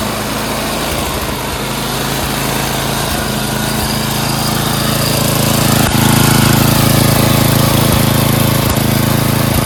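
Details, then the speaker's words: Craftsman 928 dual-stage snowblower, 9 hp Tecumseh Snow King engine, after carburetor cleaning (bowl, main and pilot jets cleared) plus a quarter-turn idle and governor screw adjustment to cure surging: steady, slightly fast idle with no hunting; normal idle. "Okay, we did a little idle adjustment as well as the governor screw adjustment, which is right there. Quarter turn on that, so now the RPMs are faster."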